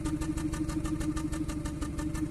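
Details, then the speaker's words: 2014 Kia Cerato at idle with injector 4 cut by actuation test while cylinder 1 already misfires: rough lumpy chuffing, cylinders 4 and 1 dropping; cylinder 1's miss comes and goes, confirming it is the faulty cylinder. "الرابع والأول نسمع التفتفة. وقفنا عليه، الحين تفتفة الأول تجي وتروح."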